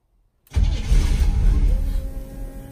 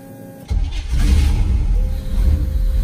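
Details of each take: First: Two-door bobbed Range Rover Classic with Holley EFI and 3-inch lift, first start attempt: silence then a low continuous churning rumble that wavers but never catches; engine cranks without firing before a retry. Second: Two-door bobbed Range Rover Classic with Holley EFI and 3-inch lift, second start attempt after first failed crank: brief quiet then engine catches at once into a firm steady rumble; clean start.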